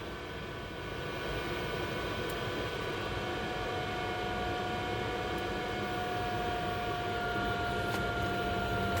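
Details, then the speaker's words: 12V 5kW diesel heater newly installed in box truck conversion, after fuel pump ran then stopped: only steady fan hiss with faint whine, no burner roar; no heat, not igniting, cause not identified. "i'm not getting any heat and i didn't hear it come on like my water heater did"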